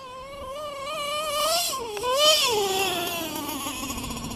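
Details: LRP .32 nitro engine with Novarossi race carb, first run of the day: thin piercing scream climbing and dipping with throttle, sharp up top; owner thinks the high-speed needle is a touch too lean.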